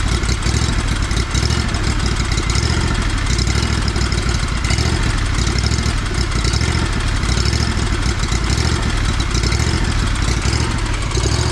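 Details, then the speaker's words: Lawn mower single-cylinder engine after fuel filter replacement for rough running: quick, steady beat with no stumbles or surging; runs clean and healthy with the new filter. "guess it likes the new filter."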